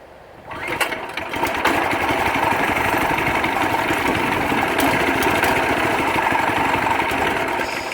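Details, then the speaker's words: Predator 212cc 6.5 hp engine on a rebuilt Yerf Dog/Murray go-kart with a max torque clutch, first start: small single-cylinder settles into a steady, even patter at fast idle with no misses or knocks. "sweet first start all right get on there i'll fire up for you"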